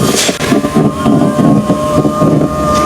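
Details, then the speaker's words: Chery Arrizo 8, about 2 years and 30,000 km, power window regulator creaking when raising: steady motor hum with dry creak as glass travels; regulator cable lacks grease, fixed by applying white lubricant. "一升的时候嘎嘎响，嘎嘎响。"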